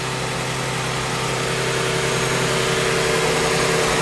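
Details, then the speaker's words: 1999 Ford Taurus idling right after in-tank fuel pump replacement: steady, even idle with a smooth hum and no knocks, misses or hunting; runs cleanly with no fuel leaks. "So I'm going to start the car and let it run and come back and recheck for any leaks. Moment of truth, people. Seems to be running."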